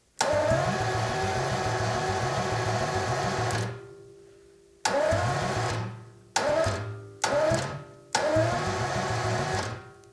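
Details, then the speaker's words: 1977 Jaguar XJ12 Series 2 V12, new starter replacing a stuck one, hot-wired to battery positive, battery a little flat. Several short bursts of quick, even, airy cranking with no grinding; the seeming zero-compression sound is normal for the V12. "that sounds really good kid batteries a little flat but that sounded really good and yes these b-12 do sound like they have zero compression when they're turning over but that's what they're supposed to sound like"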